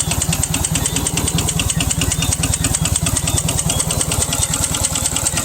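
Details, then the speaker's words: 1NZ-FE turbo engine after a tune-up, idling: heavy steady bottom-end knock after an oil leak from the drain starved it of oil; rod knock, later found bent rods #4 and #1. "That's it. So you can hear engine is knocking. Engine is knocking. So I have to pull up the engine and hear what I go on."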